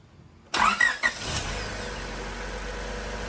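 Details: Freshly rebuilt Honda D16ZC, restarted after draining first-start oil for machining debris and refilling, recorded from outside the car: brief crank, a couple of sharp catches, then smooth steady idle; healthy clean start.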